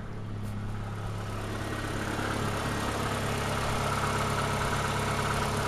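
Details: Ford Escort warm idle, reported to have a slight misfire only when cold and no smoke: steady, even low-hum idle with no tapping or misses, running quietly and healthy.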